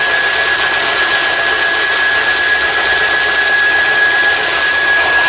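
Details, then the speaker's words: Ford Cortina Mk3 power steering on a live test jig, first pressurisation: thin steady high whistle over hissing running noise, steering tight; no leaks found, air noticed in the system. "switch off I saw the pipe's pressure up I can hear a strange Whistling noise steering seems tight"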